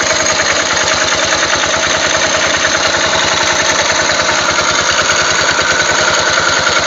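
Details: Yamaha 500 XT single-cylinder idling after timing chain tensioner adjustment: even idle with quick light metallic ticking on top; source of tick not identified.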